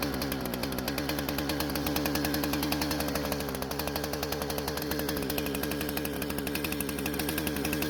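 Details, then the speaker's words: Husqvarna chainsaw after repairing a fuel leak and no-start, no carb adjustments: crisp, even two-stroke buzz at steady high revs while cutting, firing clean with no stumbling or bogging; running healthy. "so it seems to be running great with no issues at all and I'm not going to make any adjustments to the car but because it started just fine rev the way it's supposed to and also did not bog down when cutting"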